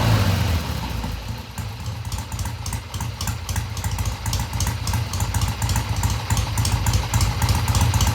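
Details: 1971 Triumph T120 650cc twin after pilot mixture screws tweaked about an eighth turn: fires up, even idle, picks up cleanly off idle and through mid-range with no stumble or hesitation.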